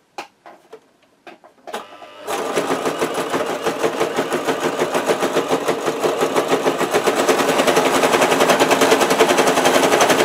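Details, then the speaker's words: Brother JS-23 sewing machine clattering with a loud hard knock every stitch, about three and a half a second; upper thread loops underneath and won't tighten, shuttle binding in its race, with burrs on the shuttle retaining ring. "очень сильно очень сильно тарахтит и нитка всё равно не затягивается"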